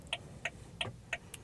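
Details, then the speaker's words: Rover CityRover (Tata Indica) 1.6, £200 car, hazard lights on: sharp, bright, evenly spaced clicks about three per second from the indicator relay, an unpleasantly harsh ticking noise. "not a very nice indicator noise, but otherwise, yeah, even the interior light works."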